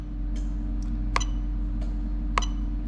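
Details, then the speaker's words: Toyota Altezza with hardwired LS400 1UZ-FE VVT-i engine harness and J160 gearbox, relay box by the ECU box: two sharp clicks a second apart over a steady low hum; ECU signal switching the AC clutch relay correctly. "so all right so hopefully you heard that so that's the ac the clutch relay working so we're happy with all of that"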